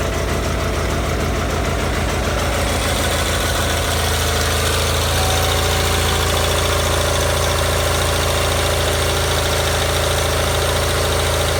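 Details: Gravely 817 with Onan CCKA twin-cylinder, after starter repair: steady, even running with no starter gear clash. Starter gear seen retracted well away from the flywheel; normal running.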